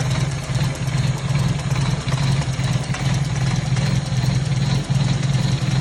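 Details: 1997 Toyota Corolla with hard starting, just after a cold start: the engine idles low and slightly unevenly with a deep pulsing thrum and no knocks; idle speed too low when cold.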